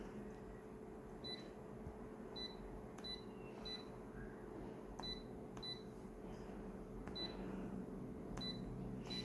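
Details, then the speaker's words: Colour photocopier running a print job: quiet steady hum with high-pitched and low-pitched squeaks, short high chirps recurring every second or so; mechanical squeak, source not pinned down. "this fighter copy is making some mechanical noises as you can probably hear high-pitched squeak and sort of low pitch squeak sound so yeah it's not a good thing"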